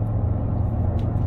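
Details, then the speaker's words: BMW E31 cruising with a slight touch of throttle: deep booming drone and rumble, with vibration felt through the chassis and feet but not the steering wheel, gone off throttle; drivetrain cause unclear; low-frequency body boom under light throttle. "so cruising again slight touch of the throttle and it's back you must be able to hear that that's booming the whole car's vibrating now"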